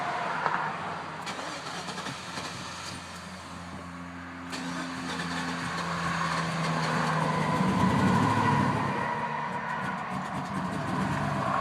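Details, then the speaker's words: 2001 Chevrolet Silverado 5.3L that developed misfires (cylinders 2 and 7, coil packs replaced), starting: crank catches, engine sags and hunts unevenly, only holding with throttle; hard start and stalling. "like it does not want to stay running at all unless you keep unless you keep your foot on it a little bit"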